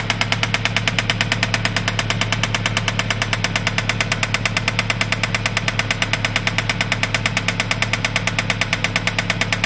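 A steady, sharp knock of about two beats a second rides over an even engine run; the source of the knock is unknown.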